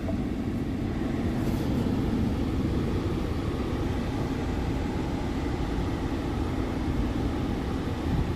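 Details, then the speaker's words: 2014 Ford Explorer after replacing cracked mode blend door actuator that made dash clicking when switching vents: steady even airflow from floor and center vents, no clicking; normal blower operation. "Yep, everything's blowing good right there. Make sure it comes down here at the bottom. Yep, everything's working."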